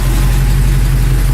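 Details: Truck idling after the box was installed, steering fixed and earlier noises gone: deep, steady idle with an even low hum and no knocks, clunks or whine; running healthy.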